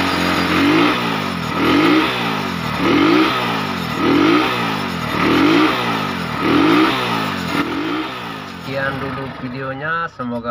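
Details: GL Max Neotech motorcycle after repairing a detached cam chain that caused starter trouble, oil strainer refitted: throttle blipped about once a second, revs rise and fall freely with no chain rattle or ticking; engine sounds right.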